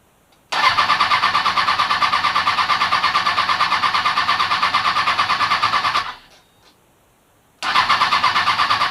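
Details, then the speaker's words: Kawasaki Ninja ZX-636 during rebuild, new battery, fresh fuel: starter whirs steadily for several seconds, stops, cranks again, never fires, no fuel pump prime hum; crank no start, fuel pump not priming. "turn it on I am a little concerned I don't hear the fuel pump priming"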